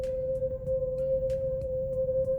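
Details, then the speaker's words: Brand-new VW Polo TSI coasting off throttle, the car pulling itself: a constant high-pitched scream rides over low tyre and road noise; brake squeal from dust in the brake parts. "This is very, very bad. It's literally screaming."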